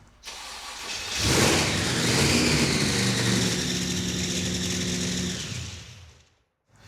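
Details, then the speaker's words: Blown carbureted engine in a Roadkill project car: starts, flares and hangs at a high idle near 3,000 rpm before shutoff, with fuel pouring down the blower side; owner suspects a vacuum leak, none seen. Cause unconfirmed. "for some reason it wants to idle at 3,000 RPM seems like a vacuum leak"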